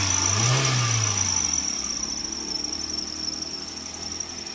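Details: Maruti Swift Dzire petrol, brought in for pickup drop and slow morning cranking, started after spark plug replacement and battery terminal refit: smooth, even idle with a thin steady high hiss that slowly fades, no stumbling or misfire; normal idle.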